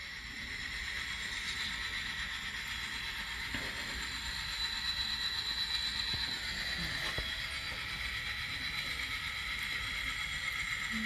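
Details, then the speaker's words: Model train locomotive reversing through Kato turnouts treated with No-Ox-ID A Special onto yard track 1: steady high-pitched gear whir, no dropouts or stutters; runs smoothly, no cutting out. "Whoops, she's doing excellent. No cutting out, no problem."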